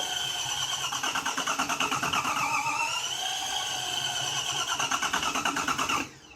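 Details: Toyota Camry 1MZ-FE engine cranking, mic close to engine: uneven cranking about three beats a second, compression strokes coming and going; vacuum test pushes pressure back, owner suspected intake valves or head gasket; timing belt broken.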